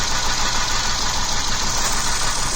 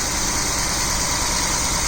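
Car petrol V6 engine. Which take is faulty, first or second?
first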